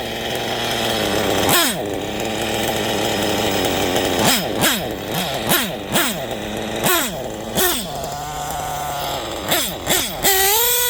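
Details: Small engine after fixing an exhaust leak, still being tuned: high-pitched buzzing at steady idle, then sharp rev blips rising and falling quickly with crisp, clean pickup; running normally.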